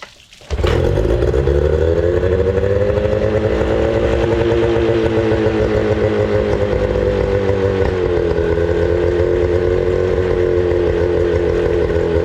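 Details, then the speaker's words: 25HP Mercury outboard that sat for four years, after fixing its fuel problem and cleaning the carburetor, run on fresh gas with water connected: steady, even buzzing run with a stable pitch and no misses, good water flow, idle slightly high; normal running. "Yeah, we got very good water flow right now. I mean, the engine is running same as it came out of the factory, guys."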